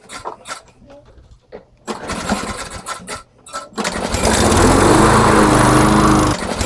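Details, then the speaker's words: Canadiana Elite 22-inch self-propelled mower with a Briggs & Stratton Quantum engine; a couple of pulls, then a steady even buzz with no misses; normal running, with an unexplained noise underneath, maybe a loose blade or something hitting. "Yeah. See, it works just fine. Just what I was saying. And as you can see, the self, it works great."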